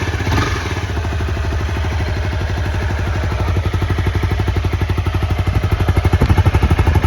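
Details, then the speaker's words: Neglected low-mileage Honda CBR250R with oil in it, battery charger connected; steady even thump about four pulses a second, owner listening for knocking hears none and says it seems to run okay. "it does have oil in it and it does seem to run okay i was listening for knocking and stuff like that but seems all right"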